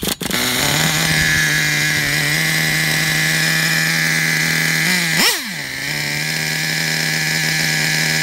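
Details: Traxxas Revo 3.3 nitro RC truck, engine good; it still needs a new transmission, spur gear, starter motor and one-way bearing. A steady, high buzzing run with one quick rev blip settles straight back; normal, clean running.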